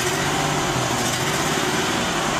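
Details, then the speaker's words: Ford E250 with 4.2 V6 petrol, starts fine but runs rough, misfiring under acceleration: uneven, stumbling beat from one injector not delivering fuel. "it starts and runs it does run a little rough it's never been a complaint of it don't start but as we accelerate it"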